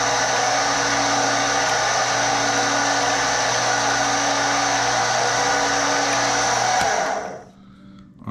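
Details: Stenner peroxide injection pump for well water, just after its leaking tube was replaced and the roller position adjusted level; steady even motor hum with a smooth rhythmic roller beat, no knocks or squeals, then winding down. Normal, healthy running.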